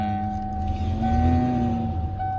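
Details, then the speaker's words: 1994 Ford Ranger just after a new throttle cable was fitted (new clutch kit and transmission already in): with the pedal released, the idle wavers and lugs like it's about to choke, with a faint whine on top; it idles fine with the pedal barely held, so more cable tension is suspected as the fix. Rough idle near stalling. "I'm like barely touching the gas pedal and it's idling good, but when I'm not, you hear it like trying to choke."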